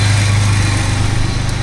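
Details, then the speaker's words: Low engine drone with fast, uneven puffing as it's revved on the S10 donor chassis after vacuum system stripped back; exhaust leaks traced to the smog air lines, to be plugged. "but now we got some exhaust leaks but it turns out it's all the smoggy line like the the stupid I don't know what it is the smog stuff when I kind of Revit you can actually see right there you can hear the leaks can see it arcing in there and"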